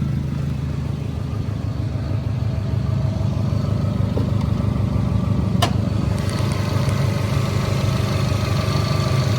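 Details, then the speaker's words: Subaru WRX boxer engine idling after a switch to the OEM exhaust, with a deep uneven thrum and a faint puffing tick from an exhaust leak, which was later fixed. "Yeah, I don't know if you guys can hear it, but the exhaust leak is right there."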